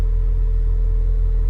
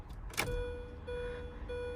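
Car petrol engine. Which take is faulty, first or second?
second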